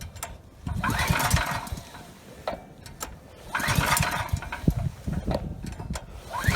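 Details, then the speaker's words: Ryobi RY905500 5500 W generator, new recoil rope, choke on: repeated recoil pulls, each a short rattling burst of compression strokes never catching; runs on starting fluid, so fuel starvation, carburettor main jet probably clogged. "okay good so it's just not getting fuel so the main jet probably is clogged"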